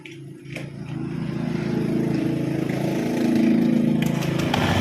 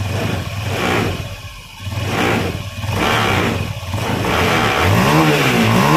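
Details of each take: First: Honda Scoopy (K44) scooter, before repair, weak power and rough CVT sound: rough, uneven crackle riding on the engine beat at idle and revving, from vibration of a hardening drive belt, hardened CVT drive belt. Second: Honda Scoopy (K44) scooter with CVT components removed, checking engine alone: several smooth throttle blips with even note and no knocking; engine and crank area normal, fault lies in CVT, normal engine revving.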